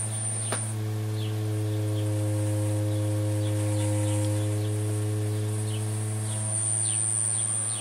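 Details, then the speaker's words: 1960s Dynatron Nomad TP11 radio powered at 12 V on first test: loud constant low mains-type hum held steady while on; owner suspects power supply capacitors. "I think that's going to be capacitors, to be honest. Power supply capacitors, certainly got a fair bit of hum there."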